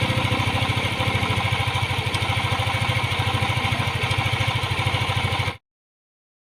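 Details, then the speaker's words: Yamaha Aerox 155 scooter after reassembly, engine fully hot: an even, steady single-cylinder idle with regular pulses. The earlier hot-engine rattle ("tunog jolen") is gone. "after natin mabuo mga tropa ito na siya natatahimik"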